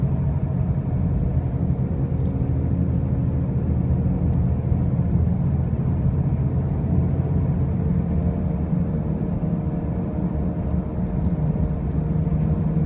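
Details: 2005 Pontiac Grand Prix with brand new wheel bearings and new tires: a constant deep droning rumble at road speed, steady and heavy in the low end; the source of the loud noise is not pinned down.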